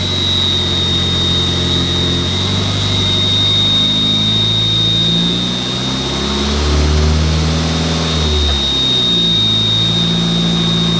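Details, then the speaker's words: Mk4 VW Jetta after clutch problem fixed: smooth idle rising into clean revs and settling back, no misfire, knock or slipping; sounds much better now. "but um this thing sounds way the hell better now"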